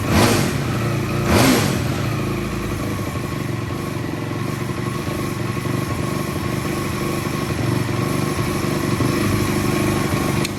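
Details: 2004 Yamaha YFZ450 ATV after rebuild with new exhaust, exhaust just tightened: two sharp throttle blips then steady, even four-stroke idle with no knocking or misfire; oil leak followed because the sprocket was left off.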